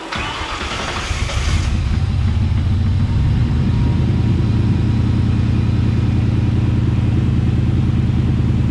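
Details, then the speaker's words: Shelby Cobra build, 2003 Mustang GT 4.6 V8, after fitting a new high-volume fuel pump: the V8 cranks and catches in under two seconds, then settles into a steady, even low burble with no misses. It now starts and runs normally. "at least i know the car runs now and everything works perfectly so i'm excited now the cobra's finally running"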